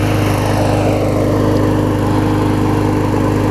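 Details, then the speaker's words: Murray mower with a 21-inch blade after a replacement engine swapped onto its deck (original shaft sheared): a steady, even small-engine drone with a quick regular firing beat, no misses or knocks; normal running. "yeah we're running good like I said I've got more videos coming up hopefully I'll make a video feed bag and leaves"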